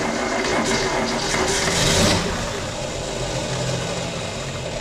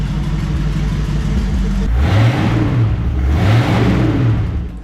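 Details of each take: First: 1967 Ford Mustang, sitting since 1986, first start after fuel was fed to the carb: it catches to a steady idle, but the exhaust is oddly hushed and smothered; the muffler is suspected blocked, rodent-damaged and rotted through. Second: 1967 Ford Mustang V8, sitting since 1986, deep even burble firing on all eight cylinders at idle, two clean throttle blips rising and falling smoothly with no misses or knocks; normal revving.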